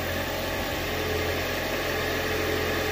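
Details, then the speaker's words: Toyota Prius jump-started with a GB70 booster clamped to the strut tower bolt; starts and settles into a smooth, even idle with a steady low hum and no knocks or misses; normal idle. "okay there we go it's running gas that thing should come on there it goes all right"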